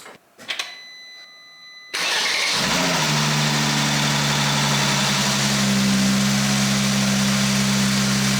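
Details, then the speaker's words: Mercedes-Benz W205 C450 AMG, M276 engine, first start after cooling system and wiring loom repair with about six litres of coolant added; quick crank, catches at once, brief flare then smooth steady idle, no knocks or misfires. "wow did you hear that m276 engine raw it it runs fantastic it's got a nice gurgle to the exhau"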